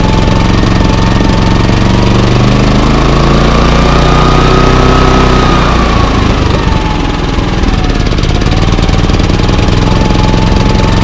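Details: Bailey 3700 W remote-start generator, unused for over a year, with buildup in the carburetor: a loud drone that surges in eco mode and still runs rough with eco off.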